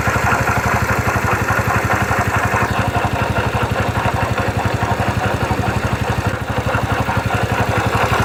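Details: 2009 Yamaha Factor YBR: steady idle with fast rough rattly pulsing about two per second over the beat; strange engine noise, cause unclear.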